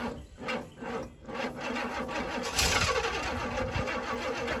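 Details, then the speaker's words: 1966 Pontiac Grand Prix, sitting since 1992, first start: uneven cranking, a brief catch, then stumbling and labouring as if starved; the fuel filter holds contaminated fuel that is not gasoline, possibly clogging the filter. "maybe the filter stopped up I think I found the problem you tell me look at that dude right there that's not gasoline"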